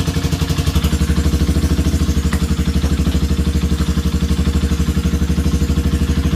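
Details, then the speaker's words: Honda CB250 single that made a strange dragging noise when cold, after repair: even steady idle with no tapping or clatter; ugly noise gone, slight vibration from engine mounted with only two bolts; loose cam chain guides suspected as the cause. "pero el ruido ese feo que tenía como si fuera fela realmente ya no tiene"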